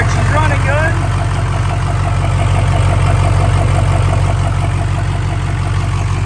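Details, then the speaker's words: Duramax diesel drag truck, started after sitting with a drained battery, before teardown: deep even diesel clatter at steady idle with regular beat, no misses or knocks, oil pressure good; normal idle. "good. Sure. She's got oil pressure. Oh yeah, everything looking good."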